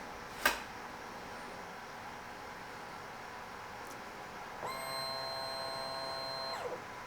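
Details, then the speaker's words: 2023 KTM 300 XC two-stroke after ECU reflash, TPS reset by power cycling and twisting throttle 0–100% three times: a click then steady high electric whine about two seconds; fuel pump priming normally. "Then the fuel pump spins, and that's it, we're done."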